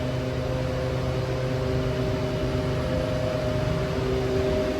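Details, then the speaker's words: Walk-in freezer unit, after defrost timer stuck in defrost was rewired: compressor and fan cooling with even hum, no high-pitched whistle that indicates low refrigerant; pressures okay, cold outside; normal cooling. "all right so now we're cooling it doesn't sound low because this one gives a real high pitched sound when it's like low on frame and it's already cooling"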